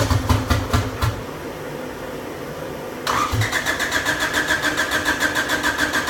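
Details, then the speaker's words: Honda engine swapped into a Volkswagen, first start attempt after checking firing order, spark and fuel: two cranking bursts at about 3.5 beats a second with no firing; crank-no-start with injectors not firing. It sputtered only when fuel was poured into the cylinder. "well there we have it guys so the injectors are not firing I guess is what we've came to terms with"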